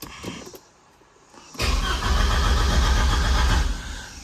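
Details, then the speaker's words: 1985.5 Porsche 944, not started in at least three years, battery trickle-charged overnight despite a parasitic draw: the starter cranks steadily but the engine never catches. Voltage seems adequate, oil pressure reads low, and the fuel tank may be empty. Crank, no start. "It's got at least somewhat of enough volts. Oil pressure is low. Fuel might be empty."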